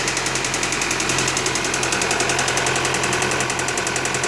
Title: 2015 Audi A4 CPM knocking sound